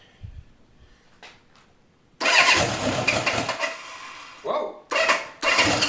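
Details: CB750 first start after engine rebuild (836 kit, undercut transmission gears, Pamco ignition) on choke: catches after a pause, runs in bursts with brief drop-outs, then picks up with a crisp, lively firing note. Normal start-up.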